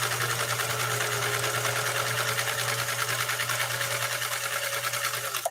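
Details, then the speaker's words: Sewing machine stitching a zigzag at stitch length about 2.5–3: quick, even chatter at steady speed with no knocks or binding, stopping cleanly; after servicing to fix earlier problems, it runs quiet and smooth. "this machine is just it's better than a Swiss watch right now as far as how quiet and smooth uh it's running right now"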